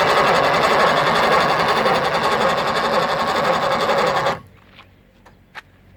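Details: Mercury 2.5 outboard: rapid, steady chatter of the engine turning over for about four seconds, then stopping dead without firing; cranks but won't start, owner had doubted the starter was engaging, cause not found yet.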